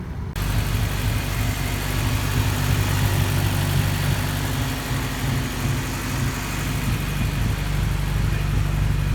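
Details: Honda K20A2 engine at first start-up after wiring; steady, even low rumble with no knocks or rattles, runs great and sounds healthy (possible O2 sensor fault or bad relay still pending).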